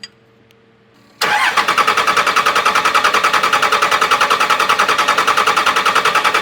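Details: 2001 Dodge Cummins 24-valve with VP44 injection pump, after upgraded injector install with three injector lines loosened to bleed air; steady starter cranking about three and a half pulses per second, but the diesel never fires.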